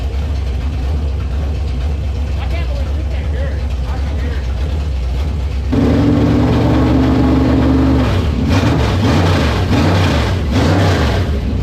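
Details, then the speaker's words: Street stock race car idling and revving: steady hum at the back of the motor under throttle; crew suspects the transmission, not confirmed; abnormal noise from rear of engine. "yeah I think it's the transission it's probably just a BL it sounds like on the back of the motor at"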